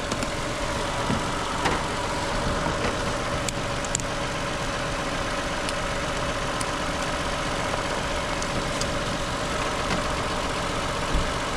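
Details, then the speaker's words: 2015 Toyota Sienna with a crank-no-start, started using a diagnostic tool: even, steady idle with no knocks or misses; running fine. "So now I can start it up. Let it run. It's still working fine."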